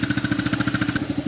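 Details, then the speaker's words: New 2023 Honda CRF110F pit bike, not yet broken in, electric start: quick, even single-cylinder putter at a raised cold idle on the automatic choke, then easing off and settling quieter. A normal, healthy cold start. "it has like a automatic like choke when you first start it up um that's why it kind of got a little quieter which is pretty cool"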